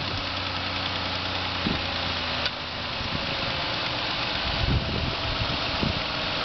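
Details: Just-bought 2005 Ford Escape petrol engine idling with a steady low hum and a few sharp, uneven knocks over a hissy background.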